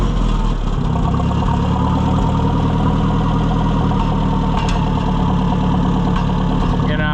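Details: Oliver 550 tractor during a tune-up, held at the target idle speed: an even, low-pitched, firm idle with no stumbling or hunting, steady enough that it won't stall. This is the idle level the too-low setting should be raised to.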